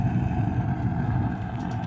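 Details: 50 BMG rocket stove used as a tent heater in an ice-fishing shanty, burning thumb-sized wood chunks after fatwood kindling: deep, fluttering roar pulsing steadily as air rushes through the firebox at full draft; shanty reaches 80 degrees.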